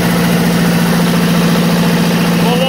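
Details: Onan 15.0 DJC diesel genset (12.0 DJC rebuilt to block, 15 kW 120/240 VAC generator fitted), first start after rebuild, no load, cooling tins off, 50W Rotella oil: steady even clatter, no knocks or misses; good oil pressure, running healthy.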